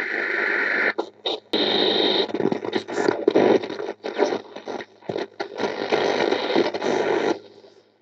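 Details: Restored 6-volt Kriesler 31-7 valve radio with vibrator supply, once in off-grid bushland: hiss and crackle rise and cut out as the dial sweeps the shortwave band; receiving properly.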